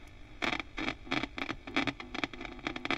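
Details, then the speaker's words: 30-year-old Marshall JCM900 SL-X 2100 100-watt 5881 valve guitar head under repair: irregular sharp scratchy crackle bursts each time the volume control is moved, no hum between; worn volume potentiometer, to be replaced with a new pot. "that pot's had it. So we need a new volume pot."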